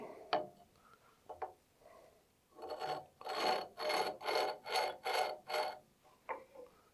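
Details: Woodturning tool on a grinder sharpening jig, arm being adjusted after ink check: rhythmic rasping about twice a second as the tool rocks across the wheel; uneven contact, wheel touching only part of the bevel.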